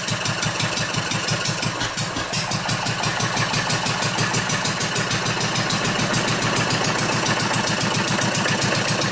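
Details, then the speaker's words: Old Wolseley sheep-shearing stationary engine from Birmingham, England. Strong, steady firing beats, roughly three a second, deepen and bark harder as the flywheel is pushed down to load it. Pulling cleanly with lots of torque. "There we go, it makes her sound nice, eh? So that was quite a bit of force I was putting down there, so she's got lots of torque."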